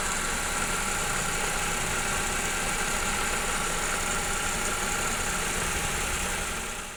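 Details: Engine idling steady and even with a constant hum and no squeal or chirp from the belt side, after the noisy dry tensioner bearing was regreased and the compressor belt refitted and re-tensioned; the tensioner now runs quietly.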